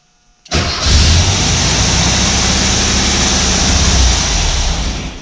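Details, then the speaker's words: VW Autostick, neutral safety switch repaired, in a garage: brief crank in neutral, then the engine catches at once into a steady, even idle; clean start, safety switch working. "car fires right up so our safety switch is working which is excellent news"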